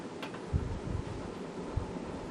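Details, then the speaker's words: Probably late-1990s Casablanca Panama five-blade ceiling fan run after oiling its bad bearings: a steady low hum with irregular dull knocks; the rattle remains, so the bearings will be replaced, and the fan is slightly unbalanced. "not bad but there's still some rattling around there"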